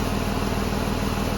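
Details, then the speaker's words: 2006 Ford Escape 3.0 V6 after alternator replacement, charging well, battery light out right after start: even quiet idle with regular pulse, no squeal, whine or knock; normal idle. "But as far as the alternator goes, everything seems to be charging up good. Sounds good. The battery light goes out right away as soon as I start it."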